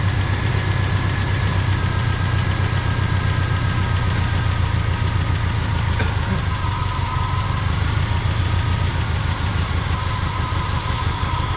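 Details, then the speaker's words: 1985 Pontiac Trans Am V8, 34,000 miles, sitting since 1998, running on a refilled carburetor bowl. Idles low and rough with no real throttle response, starving for fuel. Owner suspects a stuck carburetor float from long storage. "Yeah. Yeah, I think we got a stuck float people. Happens a lot, especially when they've been sitting this long."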